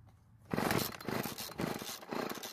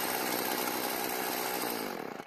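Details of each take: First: Stihl FS36 trimmer out of storage, after priming: two-stroke sputters in uneven bursts and keeps dying at idle, too lean; L screw turned counterclockwise half a turn fixes it: stalling lean idle. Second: Stihl FS36 two-stroke trimmer after storage, carburetor L screw turned about half a turn counterclockwise to stop idle dying: steady, even idle with no surging; runs properly after adjustment.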